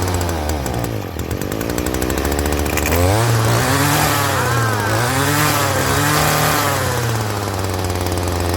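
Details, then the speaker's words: Stihl trimmer that had stalled and would not rev, after carburetor adjustment, started on choke: holds a steady buzzing idle a touch fast, then revs smoothly without bogging; runs fine, low idle set slightly high. "better. At low idle, it's actually a little higher than I like."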